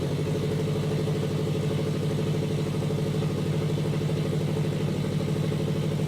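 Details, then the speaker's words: Custom turbo FRS idling with a raspy puffing chuff over the rumble from a large exhaust leak at a pipe where the gasket didn't seal. "that huge exhaust leak on that pipe that gasket didn't seal them"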